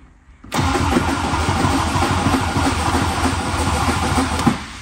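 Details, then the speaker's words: 1966 MG MGB, long stored, after starter short fixed: steady fast cranking about four seconds with no firing; fuel pump heard running, briefly ran on starter fluid, so carburetors not getting fuel (float bowls, dirty carbs). "still not starting we did hear the fuel pump running I'm pretty confident that this car should run"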